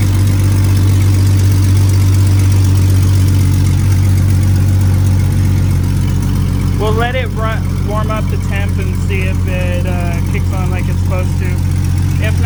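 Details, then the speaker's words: 1999 Jeep Cherokee XJ after replacing the electric cooling fan, no exhaust fitted, warming up: loud raw drone with heavy low thump at a slightly high idle; open headers; check engine light now off. "it's working i don't know if you can hear me it's so damn loud and we're getting up the temp um it is idling a little high i think"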